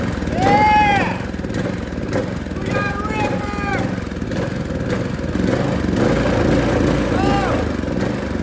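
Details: Cheap used go-kart single-cylinder engine bought on Marketplace, fresh fuel and oil checked; revs up and settles to a strong even run under throttle; sounds healthy.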